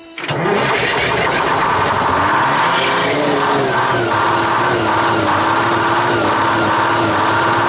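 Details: 1968 GMC water truck with 6-71 Detroit Diesel, first cold start of the season: engine catches and runs rough, revs wandering as it pops on starting fluid while the fuel system purges air after the pump lost prime from low fuel on a grade.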